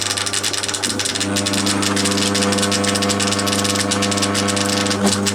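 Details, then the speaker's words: Crompton Parkinson 180 W single-phase induction motor, freshly wired and oiled, running about 1490 rpm: steady low hum with loose, irregular clicks and rattles; internal knocking, owner suspects something loose inside the housing, unconfirmed. "i will want to go and pull it apart and get to the bottom of what's making that noise there's probably just something just being knocked around inside the housing"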